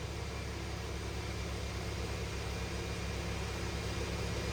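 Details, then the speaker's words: Stock 2020 Cummins automatic on a chassis dyno with the air filter removed and the airbox lid flipped upward: diesel pulling hard with a loud turbo hiss over a coarse roar, much louder than with the filter in; it ran rough, likely from disrupted mass airflow sensor readings. "We did pull the air filter out, like I said before, and turn the box lid to face upward. You can definitely hear the turbo way louder than it's been with the box and the air filter in it."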